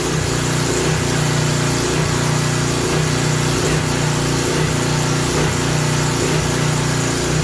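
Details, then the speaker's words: Craftsman 3000 psi pressure washer engine surging about once a second with no load; surge expected to stop under water-pressure load; oil apparently had been overfilled to the top of the dipstick. "that surge will stop when the surge will stop when you load it up with some water pressure."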